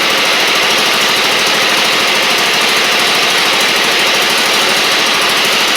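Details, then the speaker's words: Husqvarna LGT2654 Briggs V-twin mower engine in the garage: a loud, harsh, lumpy clatter that never smooths out, with smoke. It is limping on one cylinder, the left one dead despite spark. "Yeah, left cylinder's dead. I can see the spark."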